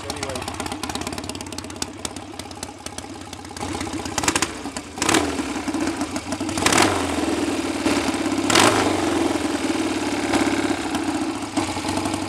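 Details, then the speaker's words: BSA A65 Spitfire Hornet twin after ignition timing was advanced, probably a couple of degrees, having previously hunted, raced or stalled: catches, quick blip, then a steady, even tickover with no hunting or stalling; acceptable and much improved. "it's not the best tick over on a 65 but things seem a lot better than they were"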